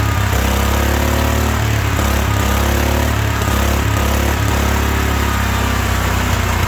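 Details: 1972 Wheel Horse Raider 12 lawn tractor, stored 15 years in a shed: small single-cylinder screams at high uneven speed, never settling to idle; owner thinks the governor isn't working, revving way too much.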